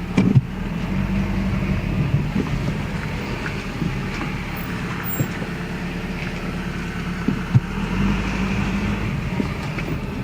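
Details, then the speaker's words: 1996 Toyota Camry on a test drive after a new passenger-side CV axle, steering turned left and right under throttle with the window open: steady road and engine rumble, no clicking or grinding, so the earlier turning grind is gone and the CV axle is normal. "all right i don't hear any grinding sound anymore"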